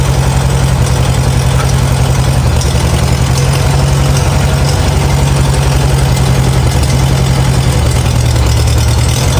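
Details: Farmall A tractor revived after 10+ years idle (new radiator, fan, belts, hoses); deep, loping low-speed idle with even thump, no knocks or stumbles; normal idle.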